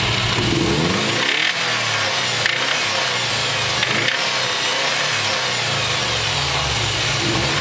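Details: Subaru EJ207 engine running with occasional sharp knocks over the exhaust note; the owner suspects possible rod knock, but the cause is not confirmed.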